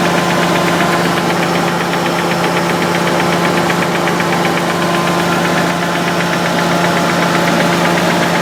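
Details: Nissan 300ZX with a bottom end rebuilt 3 years ago: loud, steady metallic knock at idle appeared after a short hard motorway run. No oil smoke, runs evenly and revs freely. Owner suspects the oil pump, as gauge oil pressure is erratic.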